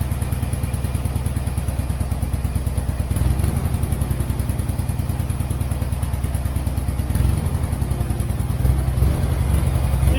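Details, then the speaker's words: Turner Ranger tractor, 1098cc A-series petrol engine, started with a little throttle: uneven chugging with stumbles as a cylinder drops out, misfiring; dirty spark plugs suspected, possibly HT leads swapped, not confirmed. "it was missing a bit but let's try that again it clears sounds like a stone on the cylinder"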